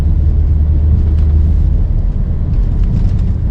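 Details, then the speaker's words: 1950 Mercury coupe on road test over a broken road testing shocks and front/rear suspension: muffled rumble and soft thuds over bumps, nothing loose or rattling; normal suspension noise. "Et bon, on entend bien sûr, hein, le bruit en absent, le bruit des bosses, mais c'est un bruit normal, c'est un bruit feutré, c'est pas un bruit de carcasse déglindée, quoi."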